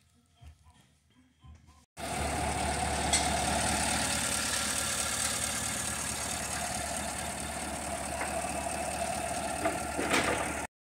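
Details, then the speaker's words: 2015 Cadillac Escalade 6.2 V8 after replacing and lapping a bent valve on cylinder 3 that caused misfire: steady, even idle with all cylinders firing cleanly; normal running, no misfires. "okay so as you can tell the car is up and running no issues mechanical condition has been restored no more misfires"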